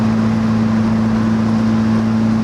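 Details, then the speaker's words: 1991 Toyota MR2 with turbo swap and open downpipe, no exhaust fitted, cruising on the interstate at 65 mph and about 3250 rpm on an 85°F day with overheating trouble: loud, steady low drone at one pitch. "and you guys can probably hear how ha this this chorus Rebbe while I'm driving on the interstate this thing is so loud I'm gonna have to get an exhaust"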